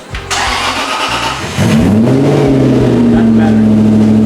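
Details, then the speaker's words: Aston Martin started after resonators were added to the exhaust: it catches and settles into a steady, even idle with a softer, less droning, "less boomy" note; normal idle after the resonator fit. "I almost think I can hear it at idle. It's a little bit less boomy at idle."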